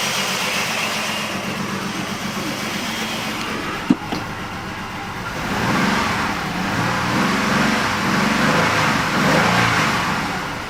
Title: 2005 jeep liberty rough idle